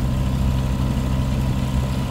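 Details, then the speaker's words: WWI replica airplane two-stroke engine started after years sitting in a shed; smooth, even, surprisingly quiet low drone with no misses, knocks or rattles; normal running. "dude it's really quiet I'm just impressed with how quiet it is"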